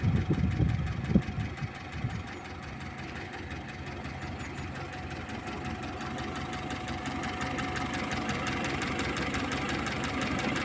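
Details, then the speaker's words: Lada "kopeyka" engine on a cold start, still cold: light, fairly regular tapping over the engine note from the top end; a worn used camshaft is suspected, with replacement planned. "сейчас её выгоню на улицу пусть она тут греется поклад воет распредвал"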